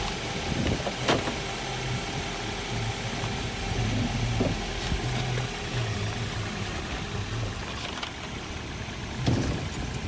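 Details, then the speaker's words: 2010 Ford Focus at police auction, started right up with jump box hooked up: steady low idle, even rumble with a few clicks and thumps; normal idle. "Has the jump box hooked up. Started right up with a jump."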